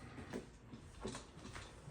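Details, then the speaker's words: Pooboo stationary exercise bike: faint rhythmic squeak about every half second while pedaling, forward and backward, worst when first getting on, then fading; owner suspects the belt and tries white lithium grease. "Hello, this is my Pooboo stationary exercise bike, and it has a serious squeak on it when I first get on it. Eventually it goes away, but it's very annoying,"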